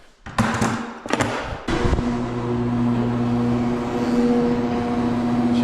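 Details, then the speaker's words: Cheap garage door opener after service, lubricated rollers and tightened chain, door going down: a few thumps at start, then steady even motor hum, no rattle, vibration or chain slap; only the motor is loud, normal run. "No ricketeting. No vibrating. Nice and smooth. Door sounds good. Only thing that's loud is that freaking motor, but that's just because it's a cheap garage door opener."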